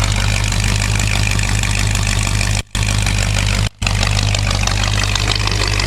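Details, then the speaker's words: 1951 GMC pickup, freshly rebuilt 1965 Chevy 283 bored 0.060" over to 292, Crane cam, 400 small-block heads, under an hour of running, about 160 degrees, idle set slightly high; exhaust leak present. Steady even V8 burble, all eight firing, healthy. "you can see it's not vibrating badly at all so it's hitting on all eight lungs sounds pretty good"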